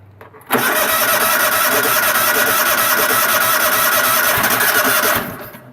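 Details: Cub Cadet starting without choke: catches at once, runs steady and even for about five seconds, then winds down cleanly; healthy start, though the kill switch isn't working, possibly an unconnected green ground wire.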